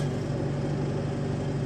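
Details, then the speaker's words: Oldish car with a new battery and new starter still cranks like a flat battery: steady drone with slow, heavy pulsing and no catch; suspected starter-circuit voltage drop, to be fixed by adding a 12-volt relay to the starter. "new battery new starter still sounds like a flat B hopefully I hopefully you guys could hear it on the video"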